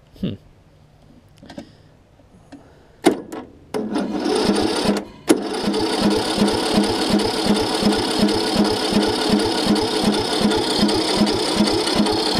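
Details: John Deere LA105 riding mower, sat outside about 3 years, after starter solenoid replacement, starter fluid added: starter spins the engine in an even chug, about three pulses a second, but it never fires; cranks, no start.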